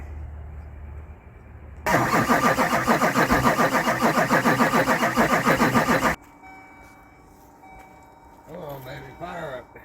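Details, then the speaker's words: Duramax diesel, first start after rebuild, fuel system primed to injectors and rails, new belt fitted, not yet at operating temperature: steady fast cranking about four seconds, then catches and settles into an even idle; clean first start. "first start here goes oh man that's sweet right there you hear that oh man oh yeah"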